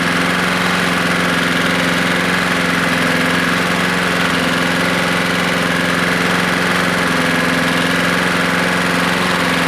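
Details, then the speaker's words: Husqvarna lawnmower after a JB Weld repair and a spark plug swap: loud, uneven running with a rough slapping rattle and heavy smoke. Badly worn inside; owner suspects a bad connecting rod, not confirmed. "oh look at all that smoke it's been about an hour uh what i'm thinking is it's got a bad rod there's a lot of slap in there"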